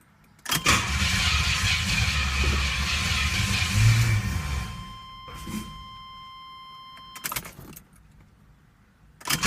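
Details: 1981 Pontiac Trans Am Turbo 301 pulled from a barn after a decade unstarted: the starter spins steadily for about four seconds but it never fires; no spark from a failed Electronic Spark Controller, later fixed with a bypass chip.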